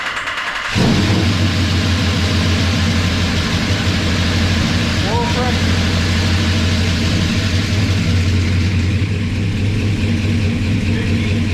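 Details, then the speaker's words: 1984 Chevy truck with a swapped 454 Gen 6 7.4L V8, first start on a temporary wrong-size fuel line: brief quiet crank, then it fires into a deep, steady idle with no knocks or rattles; 50 psi oil pressure, transmission pump engaged. Normal first start. "all right it ran we're done"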